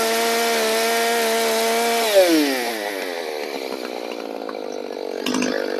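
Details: Echo CS-590 chainsaw after modding: carb bypass blocked, muffler opened up and nearly empty, limiter caps removed, low-speed screw about 1.5–2 turns; steady high scream at full revs, then pitch drops cleanly into an oak cut and holds strong; normal running under load.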